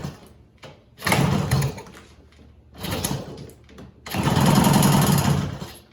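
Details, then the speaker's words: 1966 Bridgestone 175 two-stroke twin, sat 30+ years, first start on minimal gas and oil: catches in short ragged revving bursts, stumbling between as if firing badly on one cylinder; one side smokes heavily, owner suspects a bad transmission seal; rough running, one cylinder fouled. "you know I had it running yesterday and it ran okay but obviously the red cylinder is smoking way more than it should"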